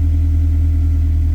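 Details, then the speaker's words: K24-swapped 1987 AE86, started the night before, warming up at idle; low, steady, even idle hum with no misses, knocks or ticks. Normal warm-up idle. "I got it started out last night and then by the time I got in it was 11. it's getting her warmed up a little bit now"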